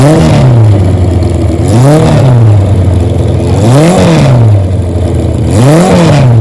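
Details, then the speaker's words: 1977 Kawasaki KZ1000 D6 sidecar racer, stored for years, being warmed up: revs rise and fall cleanly in blips about every two seconds, no knocks, misses or smoke; healthy four-cylinder. "the motor didn't smoke we're gonna warmed up didn't smoke at all"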